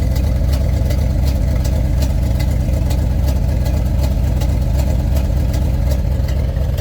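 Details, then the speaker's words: 1992-94 Chevy K5 Blazer idling after antifreeze top-up, coolant from tailpipe: loud uneven low idle, pulsing beat about four a second, choppy exhaust; owner suspects head gasket or intake manifold gasket, plugs not checked. "I just know somebody told me before on a Chevrolet, an intake manifold gasket can do that too. I mean, it cranks right up."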